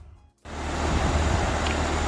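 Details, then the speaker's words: Outdoor AC/heat pump condenser after preventive run capacitor replacement (unit was working before): kicks on after short silence, settles into steady even whoosh with low hum; running normally. "looks like it's working good so of course it was working before i just replaced it to preventing prevent it from stop working"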